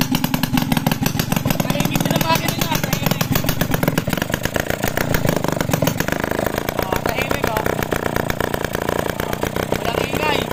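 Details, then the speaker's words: Restored Suzuki X4 engine on the bench before chassis fitting, slightly cold, exhaust through open elbow pipe: loud crackly bark with steady firing pulses, no knocks; rebuilt engine running healthy, just noisy. "Medyo maingay lang kasi naka-elbow, yun o. Naka-elbow. Kaya medyo maingay mga kamekaniko."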